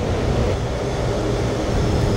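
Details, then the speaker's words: Jet engine test run at maximum afterburner: full gas-generator power plus full augmenter output, with the nozzle responding to the power setting. A deep, steady, even roar with no surging, popping or pulsing, running cleanly and healthily. "What a beautiful sound that makes. That's full power from the gas generator plus everything the augmenter can put out."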